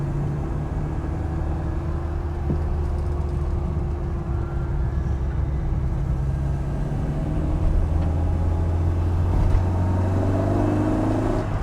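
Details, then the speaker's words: MK1 Ford Fiesta with transplanted Zetec engine on its first drive: smooth low engine hum rising with road speed, no knocks or rattles, much quieter than before; clutch pedal very low, needs adjustment. "Right, I can tell already that the clutch is not happy. It's really low, so that probably needs an adjustment. That engine is so much quieter."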